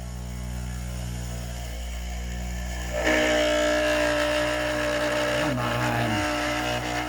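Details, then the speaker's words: 3D-printed maglev with a new 304 stainless steel backplate: the motor spins up to a steady hum with a scraping overtone that wanders in pitch, settling slightly. The backplate is rubbing because graphite was not applied to it. "I know what I forgot to do why it's making that noise I forgot to put the graphite on the back plate"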